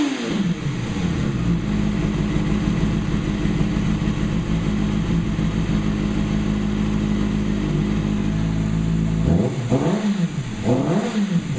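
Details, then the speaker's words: 2008 Kawasaki ZX6R inline-four first run after valve clearance shim adjustment; steady even idle for several seconds, then a few clean throttle blips rising and falling smoothly; successful, healthy engine. "Oh yeah, I love that noise. So I guess it was a success."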